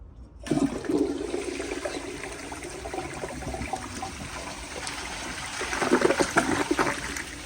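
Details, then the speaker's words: 1999 Universal Rundle Atlas ADA comfort-height open-rim toilet flushing: water rushes in and swirls with a short soft gurgle and no strong siphon pull, weak flush; ballcock hisses while slowly refilling. "so even though this is comfor height the siphon power doesn't seem very strong"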